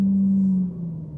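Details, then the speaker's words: Mercedes-Benz CL500: strong steady low hum droning at one pitch in a certain rev range, fading as revs move off it; garage suspects the noisy tandem pump, unconfirmed. "and then when I get to a certain rev range this is kind of resonant frequency"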